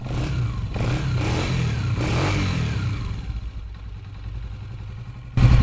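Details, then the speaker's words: Motorcycle after fixing its engine noise at home, instead of replacing the cam gear as mechanics advise: engine blips up and settles to an even, steady idle with no tapping from the valve gear; normal running after repair. "आपने देखा माशाल्लाह साउंड इसका ज़बरदस्त हो चुका"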